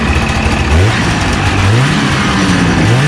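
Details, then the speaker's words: 1989 Arctic Cat Jag 440 two-stroke snowmobile, first run after carb clean and needle fix for a fuel delivery problem: engine snaps up cleanly in quick repeated throttle blips and drops back, no bogging; healthy throttle response. "sounds much better oh yeah oh yeah it works holy crap that's got some response guys check this"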